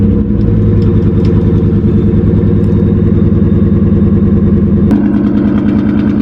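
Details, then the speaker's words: 1999-04 Ford Mustang GT V8 idling with a coil pack unplugged: lumpy, uneven idle with a loping stumble in the exhaust beat from the dead cylinder; coolant had been found in some spark plug holes. Misfire from unplugged ignition coil. "sounds a little bit rough. Someone unplugged the coil pack, and I think it was him."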